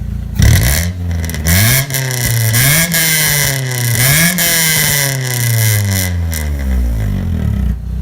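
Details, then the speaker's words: 2000 Honda Civic EX coupe, 5-speed, VTEC D16Y8, revved with a new exhaust silencer insert: loud raspy revs rise and fall in quick bursts with a sharp, higher-pitched note; the insert made it no quieter, only higher pitched. "that made it absolutely no quieter at all all that it did is make it higher pitched which is worse though that didn't add any quietness"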